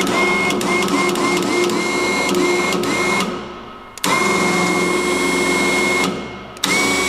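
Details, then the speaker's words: Electric winch newly mounted on a car-transport trailer, on its first test run pulling the cable in: the motor whines steadily with sharp clicks about three a second early on; owner suspects play or wear in the drive. "den liksom så här klickar Hör ni det det är inte jag utan det är något glapp eller något tror jag"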